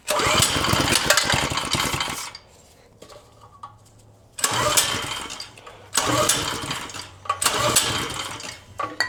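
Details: Vintage Tote Gote minibike small single-cylinder engine on starting fluid after replacing a gummed-up carb: fires in short loud bursts with quiet gaps, then picks up and revs cleanly; running normally.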